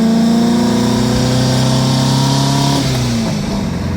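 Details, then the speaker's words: 1977 VW Brasília, 1600 engine after cylinder-head repair, Solex 32 carburetor with 28 venturi replacing previous setup, driving: crisp strong exhaust note climbing smoothly with revs, no knocks or misses; owner says sharper with more power, healthy acceleration. "começando pelo ronco que já mudou cara acho que aqui tem mais alimentação Sei lá cara ele já tá diferente já tá mais estralado parece que ele tem mais para mais força mesmo sabe"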